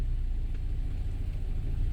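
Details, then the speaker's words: 2012 BMW 528i F10 xDrive, N20 engine, automatic, after its engine computer was replaced with a used one: smooth, steady idle with no stumbles, and the earlier misfire is no longer present. "also you remember in the first video there is a misfire i don't believe we have any misfire in this car now"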